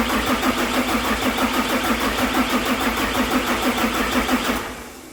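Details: 6.7 Cummins hotshot pickup during the injector repair, cranked manually with a cap fitted to check for movement: starter grinds the engine over at a steady, fairly quick rhythm for about five seconds but never fires; crank, no start.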